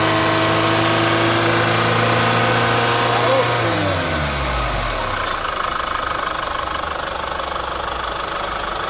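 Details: Chevrolet Captiva FL diesel, engine held at 3500 rpm: steady droning growl over engine note fading as revs drop; turbo growl under load, with weak pull, smoke, hard cold start, blamed on injectors and turbo, fixed by cleaning, turbo hose, injector rings.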